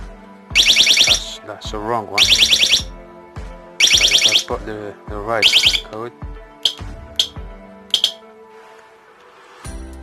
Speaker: and it's not if it's not correct you hear a long d i'm going to do i'm going to show you now i'm going to put a wrong code